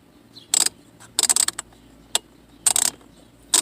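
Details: Temperature selector moved hot to cold, behind the dash: short bursts of fast plastic clicking about once a second; broken blend door actuator hunting, why the AC wasn't working.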